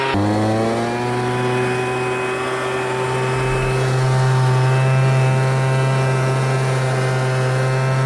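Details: MTD Bolens BL125 two-stroke leaf blower after carburetor repair, previously bogging and not starting: quick rise to steady high drone at full throttle, even pitch, no bogging or stumbling; running healthy.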